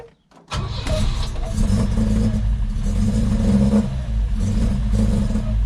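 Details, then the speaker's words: 1966 Volvo 122S Amazon after weeks of sitting, with worsening cold starts and a recent no-start, possibly flooded. Battery now trickle-charged. Catches after a short crank, then stumbles and surges unevenly. Owner says it runs really rough, almost like it's not getting fuel. "really rough almost sounds like it's not getting gas fuel something"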